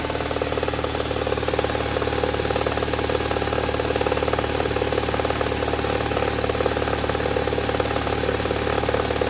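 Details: Toyota Harrier, 5S-FE engine, cold start after sitting: fast, fairly even ticking crackle, about three to four a second, over idle with raised cold revs; present about four months and worsening, fades as engine warms; timing belt checked fine; cause unknown, once blamed on loose plastic.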